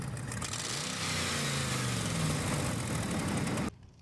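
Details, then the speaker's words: Dodge Ram 5.7 HEMI revved: loud raspy puffing that climbs with throttle, with sparks flying from a burnt exhaust manifold gasket and broken manifold studs; transmission cooling lines also leaking. Exhaust manifold leak. "As we take a closer look, we can see that the exhaust manifold seal has been burnt. And as we push the gas, you can see sparks flying and hear the noise it's making."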